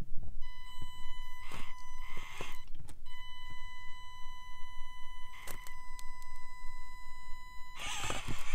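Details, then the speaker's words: Axial AX24 XC-1 on its stock ESC, needing nearly half throttle before moving and then lurching, mic turned toward the truck: piercing steady high whine under the motor bursts. Stock ESC whine with poor low-throttle response. "then it lurches ahead super frustrating and also the noise that the ESC makes that whining noise is just so obnoxious"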